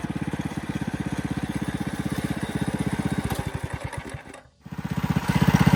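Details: Coleman CC100X mini bike, new 212cc Hemi with governor and oil sensor removed, torque converter: thumps evenly at fast idle, dips briefly, picks back up steadily; healthy, a little loud, needs adjusting.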